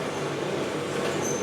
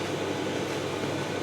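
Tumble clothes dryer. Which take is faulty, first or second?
first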